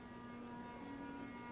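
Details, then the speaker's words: ERS (Energy Reduction Systems) industrial/commercial ceiling fan with metal-on-metal construction: steady buzzing hum near 250 Hz that steps up slightly mid-clip; something loose is vibrating, worse with solid blades, cause unclear. "it has a weird noise now do you hear that that's something vibrating something's loose"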